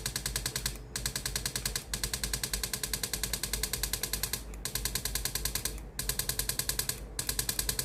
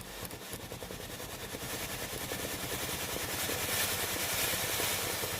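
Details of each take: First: Philips GC7620 steam iron with hot soleplate, steam button pressed: fast buzzing pulses in one-second bursts as the water pump runs, but no steam comes out; pump valve broken, fixed by replacing the pump. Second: Philips GC7620 steam iron after replacing the water pump with a cracked valve: with soleplate hot, pressing the water button gives a quick, soft pulsing pump buzz and rising steam hiss; pump now delivers water normally.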